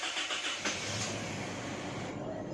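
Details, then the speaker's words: Isuzu Mu-X diesel with check engine light, traction control warning, harsh shift shock and zero rpm reading; trouble code for crankshaft position sensor circuit. Starter churns with a steady rhythmic grind, long crank before firing; hard starting, battery okay. "haba ng cranking Haba ang cranking off mamatay Mga tatlong beses pa okay lang battery ko"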